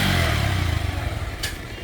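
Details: Pulsar double-disc motorcycle at about 16,090 km, after service with adjustment and greasing: steady low exhaust note easing off smoothly, no knocks, rattles or misses; engine running normally.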